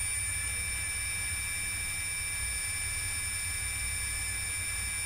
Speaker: sort of scratchiness. There's a vibration there, but it's some sort of... Oh, actually it stopped. But yeah, there's a bit of vibration at that speed, but it's gone at a higher speed.